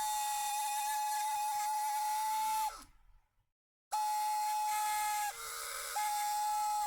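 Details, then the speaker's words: Karcher WV50 window vacuum bought faulty (flashing red light, stuck motor), run with chewed rubber motor mount removed: high steady motor whine cutting out and restarting with harsh edge; owner suspects rusty bearings needing oil, not confirmed. "it so sounds a bit rusty i think the fairings might just need a tiny little bit of oil"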